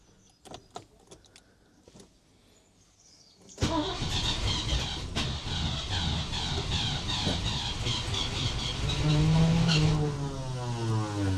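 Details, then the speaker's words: Range Rover Classic, about 40 years old, off the road 12 years in a barn; injectors thought to need cleaning. Quiet clicks, then a long, even crank at about four turns a second that tries to catch but never idles; hard starting. "Not much luck really. Let me try that. Third time lucky."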